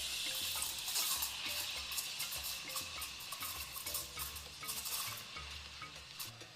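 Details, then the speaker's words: Espresso steam wand texturing milk, tip about ½ cm below surface, jug angled so milk spins: steady hiss with soft slurping ticks as air is drawn in; normal texturing, target 60–65 °C. "The milk should always be spinning. Once I have enough foam, I raise the jug a little bit so the steam arm goes deeper."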